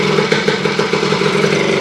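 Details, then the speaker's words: Honda CR250M Elsinore two-stroke idling after revival from years of storage, following kickstarter repair, a different spark plug and refilling the carburetor, cold ~30° morning in the shop; quick, even popping with light top-end clatter, holding idle on its own. "It's alive after I don't know how many years, guys. It was laying in the back of the gentleman's Suburban for a long time, I believe."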